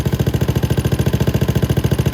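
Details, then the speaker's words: Venom X22GT 250cc single-cylinder motorcycle with Nibbi carb and upgraded muffler, idling with valve adjusters loosened: quick, even ticking on every firing pulse from excessive exhaust valve clearance, valve hitting, before readjustment. "You can hear that little click of the valve right now."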